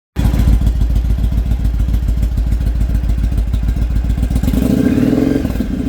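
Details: Carbureted engine misfiring after fitting a 2-into-1 exhaust, high flow filter and jet kit: lumpy idle with irregular thumps and dropped beats, revs stay ragged; owner suspects carbs need tuning, rich/lean or ignition unconfirmed.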